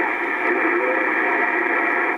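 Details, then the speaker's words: Ham radio receiver in a workshop, receive-only, one antenna, ground only via coax shielding: constant heavy hiss with no signal rising above it until it cuts off; owner calls much of it atmospheric but suspects poor ground. "a lot of a lot of noise but a lot of its atmospheric but there is not a very good ground in here"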